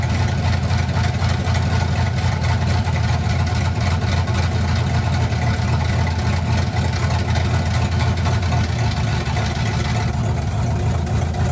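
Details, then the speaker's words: 1967 Chevy C50 truck with turbo LS V8 (7875 turbo, Holley Terminator X Stealth EFI), first start of the build: deep, loud uneven loping cam chop at idle with turbo spool audible, steady and strong, no knocks or rattles; normal lopey-cam idle. "You can hear the cam chop, and you can hear the turbo spool at the same time."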